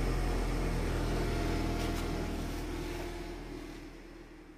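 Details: Nissan Grand Livina engine idling, heard while troubleshooting a car remote that suddenly stopped working (remote battery suspected dead): even, regular idle pulse with no misses or knocks, slowly fading away; smooth, healthy running.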